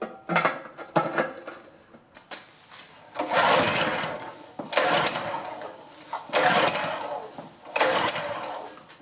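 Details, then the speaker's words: Honda GX pressure washer engine that sat about 10 years, on choke before carb cleaning. Short bursts of firing, each about a second, catch and fade repeatedly as it acts starved of fuel; a clogged carburetor is suspected. "it's acting like it's not getting fuel but that's sure encouraging on choke"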